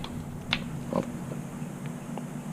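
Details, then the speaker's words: Avanti WCR682SS wine fridge not cooling: soft condenser fan hum with a few clicks but no compressor drone or vibration. The compressor gets power but won't start; fixed with a $10 part. "we got the condenser fan spinning back there make it some noise and we have a no compressor situation so I don't feel the compressor making any vibrations I don't hear it making any noise so the condenser fan is running the unit is on"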